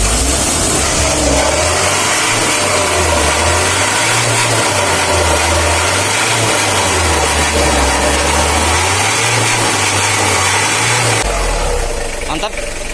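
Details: Mitsubishi L300 diesel with hard morning starting and weak pulling: even diesel clatter with a tone that slowly swells and eases, no valve tapping; normal healthy idle.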